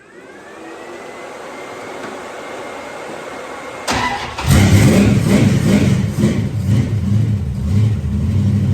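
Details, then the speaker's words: 1973 Dodge Dart Swinger V8, open headers, after timing was advanced: fires, blips sharply and settles into a loud, steady, lumpy idle; running again and responding crisply, timing still to be dialed in. "Hey, we're back to having a runner."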